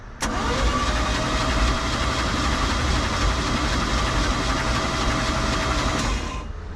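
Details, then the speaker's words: 1991 Four Winns Freedom 190 boat, OMC 4.3L engine, unknown history, bought at auction, oil looks poor; the starter turns the engine over with a steady, even churn and no knocks, clatters or bangs, so cranking is normal. "Uh, I mean, it sounds like an engine. I don't hear any loud knocks, clatters, bangs."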